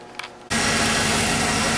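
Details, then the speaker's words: Tahoe after transmission replacement, running on the distributor taken from a Suburban with no tune-up; it earlier hiccuped and the owner suspects it jumped timing: catches after a short crank and settles into a steady, fairly even run, timing and dwell still unset. "Now, this is how close I got it to running right without any tuneup or anything. just putting the um the distributor out of the Suburban in it."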